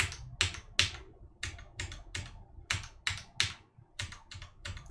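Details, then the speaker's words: Cooler Master MasterKeys Pro S mechanical keyboard, key with its o-ring damper removed: sharp, high-pitched clacks about every half second as the keycap bottoms out and slams down uncushioned; the o-ring would dampen the highs. "when that key goes all the way down to the bottom and hits the bottom of the travel the key cap is gonna slam onto the key so you get that distinctive crack noise"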